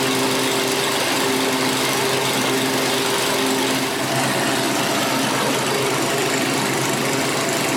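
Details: 7-year-old Craftsman 28-inch walk-behind, repaired after sitting outdoors over a year, warming up at 3240 rpm: fast, steady buzz with no misses or surging; running normally.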